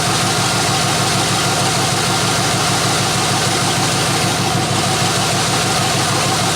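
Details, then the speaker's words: 1993 Chevrolet C1500 after a tune-up with new plugs, running on open headers with no exhaust fitted: a loud, even V8 idle with crisp, rapid exhaust pulses and no misses or knocks, running smoothly. "right now it's open headers obviously because the exhaust is not on i'll put it all back together when i do the muffler videos"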